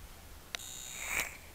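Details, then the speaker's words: Smoke Stack Modz 12.6V PWM box mod, lid off, held close to the microphone: thin high whine just after a click, about half a second before firing; normal PWM regulator switching noise. "you can hear the PBM in action if I take the lid off and hold it close to the microphone you can hear this humming"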